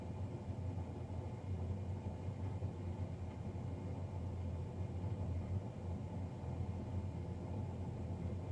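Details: Navien NCB-240 boiler, serviced Jan 31 2020 and recorded Feb 3 2020: constant deep droning rumble with a steady low hum, no rhythm or change; combustion fan louder than it should be.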